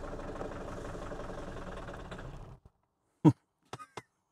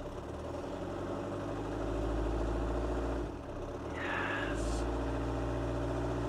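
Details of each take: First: Mini Paceman, first start attempt: the engine catches and runs unevenly for a couple of seconds, won't rev, then dies, followed by a few isolated clicks. Brief run then stall. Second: Mini Paceman after a long layup, cold first start with a new key: steady, even low idle hum with no knocks, just a brief chirp. Initial horrible noises are probably pulleys; power steering works and it needs warming up.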